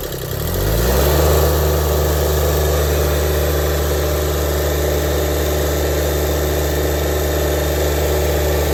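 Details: Toro diesel lawn tractor, air-locked after running out of fuel and refuelling, after bleeding air from the fuel line via a 12 mm screw with the ignition on to run the fuel pump: cranks briefly, catches within a second, smooth even idle; fixed.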